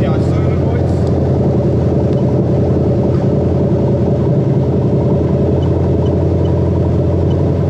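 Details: Toyota Crown 3UZ-FE VVT-i V8 on an adapted plug-and-play harness for a Lexus IS200 with 6-speed automatic, running during harness testing: dense, even drone with no ticking, knocking or stumbles; runs normally.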